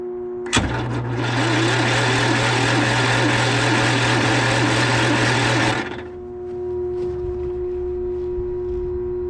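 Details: John Deere 318 hydraulic-equipped lawn tractor, after a stall and no-start traced to a safety switch stopping it cranking: engine runs steady and even with a constant low drone for about five seconds, then shuts off cleanly; runs fine.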